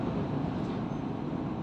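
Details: DAF truck diesel, before an air intake error later blamed on a loosened metal clamp on the rubber intake elbow: steady, even rumble with no buzz on top; normal running.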